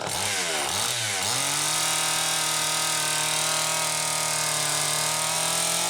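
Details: Homelite Super EZ chainsaw after repair (no-spark fault fixed by baking the coil), started with a drill via the decompression valve, run wide open: it catches, dips twice, then holds a steady high buzz with clean, even firing; runs well.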